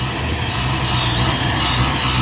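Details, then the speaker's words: Saleen Mustang, supercharged, first cold start on a untuned base setup at 12 to 14 inches vacuum with the wideband reading rich: high steady supercharger whine over a lumpy, uneven idle; rough rich cold idle on the enrichment table. "You can hear the whine from the supercharger. And it's not smooth idle."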